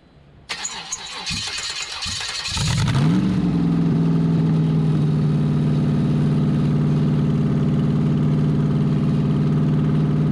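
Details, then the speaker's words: C5 Corvette V8 drivetrain out of the car, unknown-condition engine, standalone ECU, open headers, first start: fires after a few cranks into a steady, even, throaty lope on all eight; exhaust-port temperatures checked. Normal running. "it seems like it's running on all eight wasn't a huge amount of smoke that came out it sounded like it was smooth"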